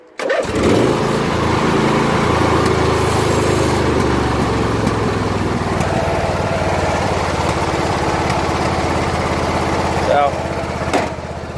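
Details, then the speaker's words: Ariens riding mower with 46-inch deck, after a full teardown and cleaning of the carburetor (replaced a month earlier, then sat for weeks after dying), restarted warm: it fires right up and settles into a steady, even putter. Normal running. "she's running pretty good show you the headlights everything's working on wit should"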